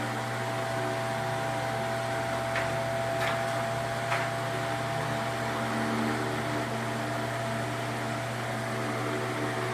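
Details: Ventisol VOP 60 MX G3 60 cm wall fan, 200 W, 2.5 µF capacitor, no dimmer so at maximum speed after coil jumper repair and cleaning: steady whirring airflow, constant hum, faint even whine, no rattles or scraping.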